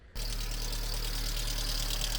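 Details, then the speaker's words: VW Polo Mk2 Breadvan with swapped-in twin-cam 1.4-litre 100hp engine, idling: busy, fast metallic top-end rattle that is constant; owner suspects dirty lifters or buckets and plans to clean them; fix not confirmed. "It took a lot of fiddling with all the electronics to get it to run, but once I did get it running, it was an absolute huge rattle coming from the engine."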